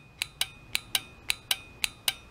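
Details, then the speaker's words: Common automotive relay bench-tested with power applied to its coil (polarity doesn't matter): eight crisp, clean clicks a few tenths of a second apart as the contacts change state, showing the relay works. Normal relay click. "hook them up to the coil and listen for it you'll hear it click if it's working it'll change states"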